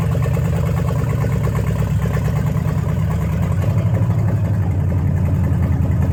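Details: Dodge Challenger V8 after 35 years abandoned, new spark plugs and fixed vacuum hose curing fouled plugs and rich running: low, even idle with a smooth steady pulse, no stumbling or ticking; idling healthily.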